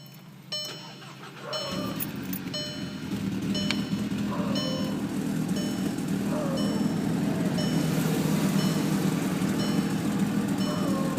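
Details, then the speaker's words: VW Mk6 GTI with no check engine light yet: starts and settles into idle with an irregular stumble and heavy shaking; a misfire, cause not yet known. "It's shaking a lot. And there he goes."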